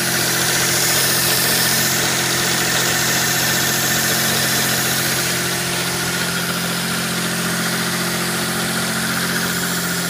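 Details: 1992 GTO twin-turbo V6 at idle: steady airy hiss from a vacuum leak over the engine, with a quick, even lifter tick.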